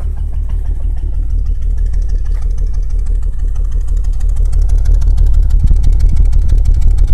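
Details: BMW 328is M52 six-cylinder fitted with S52 M3 cams, idling with a steady regular knock about three beats a second over a deep rumble; owner set timing with tools but suspects it is off, knock cause unknown.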